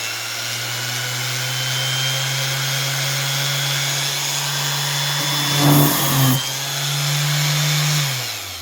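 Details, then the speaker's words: Orbital sander after bearing replacement (6002 RS) runs smooth and steady, even hum and hiss with no growl or binding. "Oh yeah, baby. Now she's not growling at me."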